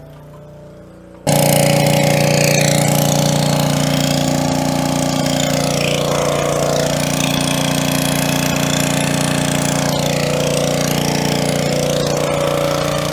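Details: Coleman Powermate 3750 generator, about nine years old and stored with non-ethanol gas, carrying lights and a 1500 W heater: steady, even drone with no surging or misses. Normal running under load.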